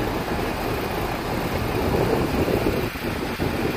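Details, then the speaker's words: York heat pump split system not heating space: only steady condenser fan rush, no compressor hum; contactor energized, compressor tested with open motor windings, unit found flat with no low-pressure safety, likely causing failure. "the condensing fan motor is running I don't hear the compressor running"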